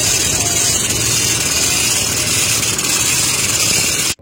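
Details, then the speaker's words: 2016 Toyota Innova Reborn engine running: steady rough hiss-like rasp, no knock rhythm, located with a stethoscope at the alternator; worn alternator one-way clutch pulley, alternator then removed. "Nah setelah ku cek paket source code ternyata bunyinya itu berada di area alternator Nah suaranya itu seperti ini"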